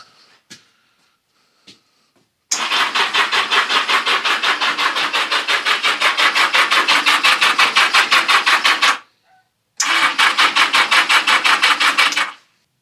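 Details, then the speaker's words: 1982 Yamaha XJ650 Seca unstarted for 4½ years, starting fluid sprayed in with pod filters still on; steady cranking under three turns a second, owner hears a little burble but it never fires: cranks but won't start. "4 and 1/2 years. Ain't fired. [snorts] Oh. I heard a little burble."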